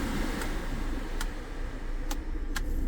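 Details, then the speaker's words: Citroen Relay van cab heater blower after replacing the blower resistor, engine in neutral, speed settings 1 to 4 now working; steady low whoosh of air, no squeal or rattle, normal blower fan running. "Right, so now in number one. Oh, number one. I don't know if you can hear that."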